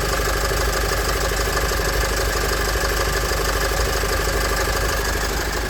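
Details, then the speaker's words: Nissan X-Trail 2.0 dCi after replacing the accessory belt, tensioner and idler pulley to cure a squeal at start-up: even diesel clatter at a steady idle with no squeal or chirp. The fault was the belt or the tensioner; normal idle. "Donc voilà, c'était bien soit la courroie, soit le tendeur."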